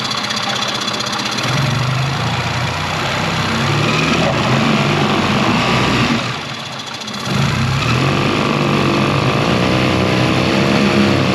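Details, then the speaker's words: 2001 Yamaha 15hp four-stroke outboard, unused in a barn for over five years, after a full service with idle mixture screw set around 1.5 turns out: steady low idle dips and settles into a heavier, even note when shifted into gear under prop load; normal. "You can also hear the engine change the tone when you stick it in gear, because now you're putting a natural load against it."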